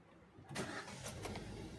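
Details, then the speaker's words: Hyundai i10 with a starting problem, after replacing the faulty starter motor carbon brush holder: short clean crank, engine catches at once and runs evenly with no grinding or clicking; repair successful, normal start. "হ্যাঁ, তো কাজ success ছিল। Carbon হোল্ডারই সেলফের খারাপ ছিল, change করে দেওয়া হয়েছে, গাড়ি কমপ্লিট হয়ে গেল।"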